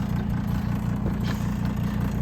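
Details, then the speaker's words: About 10-year-old RV rooftop air conditioner running with its cover missing and a hole in it: loud, steady low droning hum with a slight rough pulse; noisy, cause uncertain, missing cover risks overheating. "lot of these roofs air conditioner you can hear the noise it's making"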